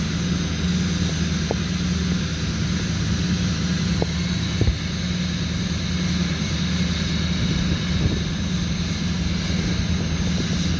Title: 2005 6.6L LLY Duramax cold start high idle